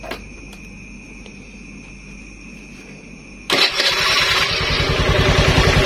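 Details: Honda Beat carburetted scooter with the safety switch off and an LED test lamp on the pulser wire: near silence for three seconds, then the engine fires straight away and settles to a smooth, even idle. Normal start.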